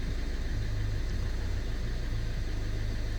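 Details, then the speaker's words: PSA diesel at idle checked with Diagbox: uneven buzzing chatter coming and going over the low rumble from the turbo boost solenoid valve; fix is to replace the solenoid valve and a turbo part, then do codings. "comme vous pouvez l'entendre ici si on entendait bien l'électrovanne créé un bruit bizarroïde en fait c'est crevant clinique qui s'excitent est ce qu'elle comprend plus ce qui lui arrive là"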